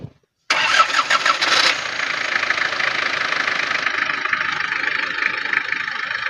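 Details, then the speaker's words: 1995 Isuzu Panther 2.3 diesel with AC and power steering: short starter whir, then the engine catches at once and settles into an even, crisp diesel clatter at idle; normal diesel start and idle. "nah ini untuk mesinnya udah kita starter kita sambil dengerin suara kalau suaranya ini masih enak ya suara di server itu renyah-renyah garing gitu jadi memang ada ciri khasnya sendiri"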